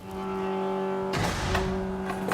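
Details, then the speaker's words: Chevy 4.3 V6 turbo swapped into a 1971 Datsun 240Z; steady drone broken by one sharp, heavy bang; a sunken float or faulty needle and seat flooded the engine with gas, hydrolocking cylinder number three. "that's like the starter falling off that's something really gnarly and it turns out that we had a sunken float or something wrong with a needle and seat and the engine got filled up with gas and we hydraulic the number three cylinder"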